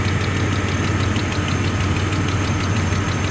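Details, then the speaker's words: 1995 GMC Jimmy 4.3L V6 after new plugs, wires, distributor cap and rotor, misfired and idled about 500 rpm cold before; now steady idle with faint light tick; owner suspects small exhaust leak; ticking at idle. "sounds good other than you know sounds like there's a small exhaust leak i had a little bit of a tip"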